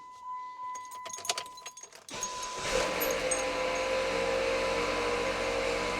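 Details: 2013 Jeep Patriot Limited 4WD test run with the belt on after new tensioner and idlers were fitted. After some key rattle the engine starts and a steady gritty grind with a faint whine sits over the idle: a worn alternator bearing, later replaced.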